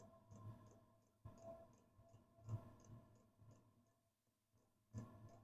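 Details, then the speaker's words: Likaci all-in-one Chinese diesel heater in a cold, uninsulated garage in November, fed by a 12V 20A power supply, after priming: fan winds up and the fuel pump gives soft, slow ticks about once a second over a low fan hum, with exhaust coming out; normal pump ticking. "We can hear the fan start to wind up now. Pump is going. I can hear stuff coming out the exhaust."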